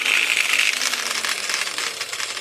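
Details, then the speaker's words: Old Heiniger-type Denetella horse clippers in for damaged blades and a worn carrier: harsh tinny rattle over the motor buzz from the start, rough running; cutting head suspected loose or broken inside. "so my first impression is they sound quite rough that sounds like the might be say either loose or broken inside there"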